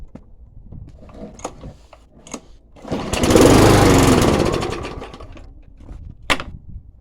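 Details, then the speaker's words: Mountfield SP470/SP454 self-propelled petrol lawnmower after valve clearance set, grass cleaned off engine and idle spring sorted: fires after handling clicks, runs a couple of seconds with even, steady putter before easing off; sounds healthy. "It's a SP470, which is SP454 self-propelled Mountfield petrol lawnmower. I'm going to start it up and let you hear it."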